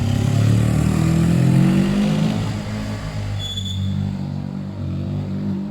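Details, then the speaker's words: Suzuki GS500 twin after carb cleaning and balancing, fuel lines simplified from five to one, no airbox, slightly high-octane fuel: pulls smoothly up the rev range with an even, steady note and no stumbles; healthy. "seems like it's going right up the rev range"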